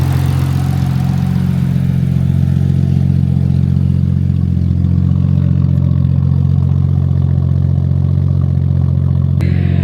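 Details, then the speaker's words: Nissan R34 Skyline, freshly rebuilt RB25DET, on the tuner's base map for the 500-mile break-in, after earlier failed starts: steady, even idle with a smooth deep exhaust note and no misses, knocks or ticks; running clean. "Now she's running clean. Sounds good. She's happy."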